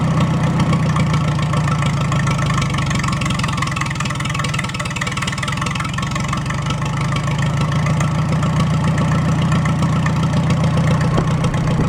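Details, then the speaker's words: Farmall A with a freshly rebuilt engine and open exhaust on its first start, no radiator, warming up before valve adjustment. A steady, even low chug with good oil pressure and no misses or knocks: normal idle. "so I'm going to let that run for about 5 minutes or so it's got no Cooling in it right now no radiator I'll let it warm up I want to adjust those valves and then uh you finish butting up the nose on the thing sounds good though good oil"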